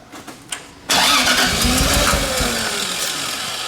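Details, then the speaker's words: 2JZ-swapped Nissan 240SX, turbo, first cranking without fuel or ether: catches then stumbles choppily as if running on only 2-3 cylinders; timing suspected. "It's just like it's almost like it's like not running on. It sounds like it's running on like 2 or 3 cylinders."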